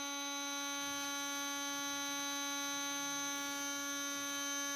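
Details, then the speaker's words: RC brushless motor after bearing replacement, first cold test at 33,000 rpm: steady clean high-pitched whine with even overtones, no grinding, no longer making noise. "that's at 33 000 rpm not bad it's not grinding no more making any noise"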